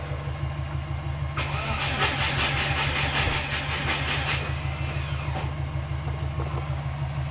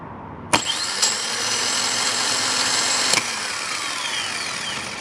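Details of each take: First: Subaru Forester no-start, plugs wet, cam and crank signals present, charged battery, injectors disabled, voltage dropping: starter labours with slow, uneven compression beats about three a second, only about 175 rpm. Owner suspects a failing starter too slow to trigger ignition. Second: Subaru Forester automatic-transmission starter bench-tested off the car on battery power: sharp clack, then fast, steady high whir for about 2.5 seconds winding down smoothly; starter spins freely and is sound.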